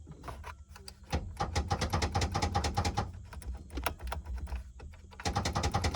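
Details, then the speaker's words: Ford Mustang 2.3 turbo, sitting parked since about 2014, trunk release button pressed: bursts of rapid uneven clicking, about three a second; release clicks but trunk doesn't open, cause unknown. "both those buttons are making noises that's reassuring"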